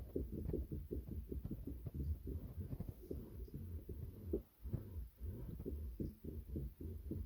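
Soft, uneven low thumps and clicks come in bursts as the wheel turns, like teeth catching in the drive; gear cog noise.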